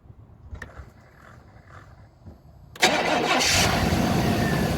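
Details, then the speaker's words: 1999 Chevrolet Tahoe V8 during pre-purchase inspection, cold start with newer battery: brief crank, fires right up and settles to a steady, even, quiet, smooth idle, not rough; healthy cold start. "So, fires right up. As you can tell, newer battery. Uh, sounds good. Quiet. Putting your hand on here. It's smooth. It's not rough."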